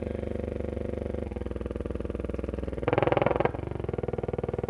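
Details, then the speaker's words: Freshly recapped Silvertone 4586 tube radio that passed dim-bulb test, tuning AM band back toward 550: only a steady pulsing buzz, no stations; one 6F6G output tube barely lit; shortwave much quieter. "this is all the noise i get going back the other way the dial back towards 550."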